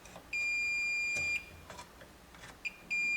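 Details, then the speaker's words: Multimeter diode/continuity test across a fuse still in place on an early-1980s Bally Embryon pinball machine, power off; two clean steady high beeps as the probes touch show continuity, so the fuse is good. "I'm just going to check on both sides of the fuses using the diode tool okay because that will tell me there's continuity between these two and"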